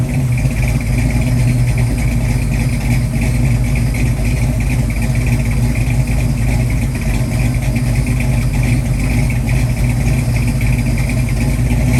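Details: 1966 Mustang with freshly rebuilt 289-based 331 stroker with hydraulic roller cam, first startup: deep, steady V8 rumble with an even beat and no knocks or ticks. Timing set 10° initial, about 40° with mechanical advance. Normal healthy idle.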